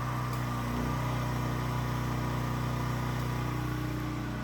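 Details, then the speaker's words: Predator 8750 generator powering a house through an interlock, as a kettle switches on and off: steady drone with a firm low hum, holding speed evenly as the load comes on and off, no hunting or surging. "And you can hear when the load comes on and when the load comes off."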